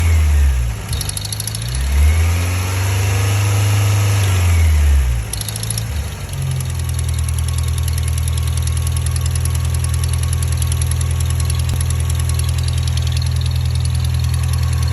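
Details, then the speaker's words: 1987 Toyota Xtracab: rhythmic tick over low idle that speeds up with revs, not from the drivetrain; suspected exhaust leak. "exhaust leak. The problem with that is that this is going to run forever."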